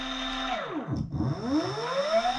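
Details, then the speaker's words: DIY ebike common controller after self-learning; holding full throttle reverses rotor direction, so the motor whine sweeps down to a stop, then rises again spinning the other way, smooth with no grinding or clicking; normal motor run. "See? It self-learned how to turn the motors."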